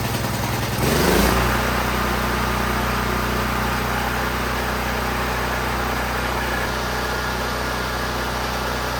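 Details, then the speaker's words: Firman T07571 generator that ran rough and spewed white smoke; its overfilled oil was lowered to the correct level (intake backfire hints valves may be out): it catches within a second, then runs a steady, even drone as the smoke clears, running normally. "I let it run there for a bit in the driveway and the smoke cleared up, which would make sense. It burned all the oil that was in the top of the cylinder and seems to run okay."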